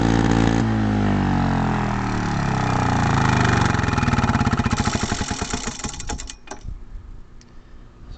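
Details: 1962 Lawn-Boy Quietflite 5251 mower, rebuilt C61 two-stroke engine, large muffler, first start in 3 months; fast buzz turning ragged and uneven as it tails off, carburetor needs mixture tuning, likely from sitting, but runs OK.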